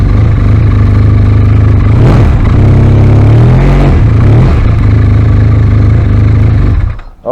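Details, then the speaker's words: 2016 Arctic Cat ZR5000 snowmobile after Team Industries Rapid Response drive clutch repair, part removed: idles with an even low drone and a brief blip, no rattle or clatter; the noise is gone. "I'd say the noise went away"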